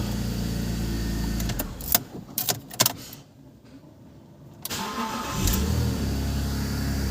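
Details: BMW E46 after cleaning a starter whose brushes were gummed with paste (likely from brake cleaner seeping in): engine runs, shuts off, then a brief crank catches quickly and settles into a smooth idle; starter now healthy.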